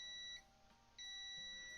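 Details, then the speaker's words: Digital Xbox One S 1TB with no power, test pad for the 5V line near caps on top left of board: two long steady high-pitched multimeter continuity beeps, showing the 5V rail is still shorted. "all right let me just check the fold the five volt line to see if there was a short there it is there yeah that's the that's the test pad for the five volt line"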